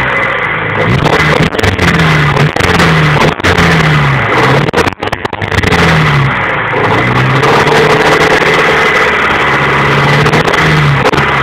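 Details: B21A1 engine revving up and down: heavy regular knocking underneath following engine speed, rod knock from worn rod bearing.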